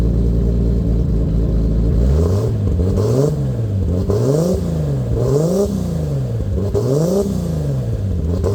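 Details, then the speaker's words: Lexus IS300 with swapped 2JZ-GTE turbo six, Fueltech FT550 base startup tune, first start: crisp repeated blips from idle climbing and falling cleanly, smooth even firing, no knock or miss, no ECU alerts; healthy free revs. "sounds pretty good if you ask me and everything is dialed in we don't have any alerts or any [Music] statuses"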